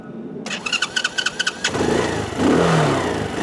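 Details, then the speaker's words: Venom X21 125cc four-stroke pocket motorcycle, cold start in neutral with a little choke (not full) on a warm day: brief cranking, then it catches cleanly and settles into an even, steady idle; normal easy start. "And that's what the bike sounds like. And you see it starts up, and it should start up just that easily for you each and every time."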